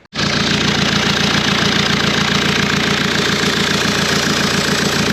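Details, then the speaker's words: Diesel running steadily with loud, rapid puffing of about three and a half pulses a second as exhaust pressure escapes from an opened pipe; the exhaust outlet is blocked. "lub otworzyłem taki śrubokręt i zaraz go Wyjmę i Pokażę wam jak tutaj będzie kompresja waliła"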